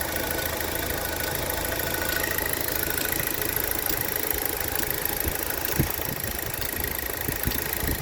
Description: Have this ticking sound in the engine year 2010 Insignia 2.0 turbo. Its like a clock that ticking every second. Can't really locate where it is.